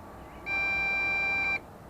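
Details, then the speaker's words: Bugs 3 drone with a 2300mAh battery after landing, motors shut down: the transmitter gives a steady high-pitched beep of about a second, pauses, then repeats; low-battery warning. "we go and the motors shut down but the tram that are still beeping because low battery warning"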